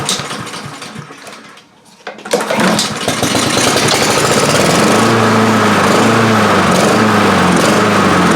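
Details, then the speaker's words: Honda HRR2156 push mower that would run and die, new carburetor fitted last year: cranks, catches, then runs with revs rising and falling in a steady wavering surge. Intake air leak. "Alright y'all, we got an intake leak on this thing. That's why she's not running right."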